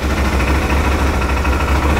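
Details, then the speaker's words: 2018 Odes 1000 X2 LT UTV at first start after valve adjustment and new spark plugs and plug wire: low steady idle with a faint uneven pulse, slightly rough; owner thinks it may just be the stuff in the back. "it's got a little rough idle sounds a little rough it could just be the stuff in the back though"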